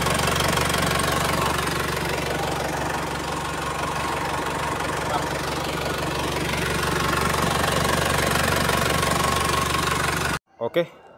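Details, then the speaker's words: Isuzu Panther 4JA1 turbo diesel after relining with Toyota Hilux liners, checked for remaining leaks (blow-by): steady, even diesel clatter at idle with no misses or knocks, then shut off; healthy idle. "Ayo coba starter kita pengin tahu nih ada masih ada bocor enggak"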